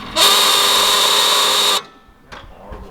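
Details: Holden VY one-tonner ute with a blown, stroked LS, during tuning while chasing fuel pressure issues: a sharp, loud, high honking buzz at one steady pitch for about 1.5 seconds, then stops; the fuel pressure regulator is resonating.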